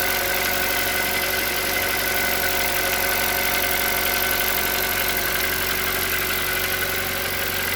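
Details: Hyundai Solaris 1.6 engine at cold idle with a fast, light ticking knock about four per second riding over the engine; cause unknown, the owner is asking what it could be.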